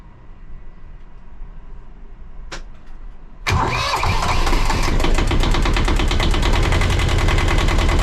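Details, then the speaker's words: 1982 Catalina 30 small marine diesel, first start after replacing the blocked exhaust manifold (poor stern water flow) and refitting thermostat and water pump: brief crank, then it settles into an even chug of about four beats a second, no stumbling. Healthy idle. "All my hoses are connected again, so we're gonna turn this thing on, and we're gonna start it up, see what happens."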